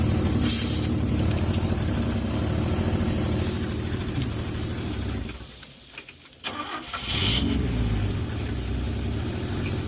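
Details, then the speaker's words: 1962 Chevy Biscayne, original 235 inline-six, started and revved to clear a blocked exhaust pipe: lumpy idle with a thin steady hiss from a small exhaust leak. "Currently trying to clean out the exhaust pipe. It's not going very swell. Should have checked it. I have a small leak up here, as you can hear the hiss."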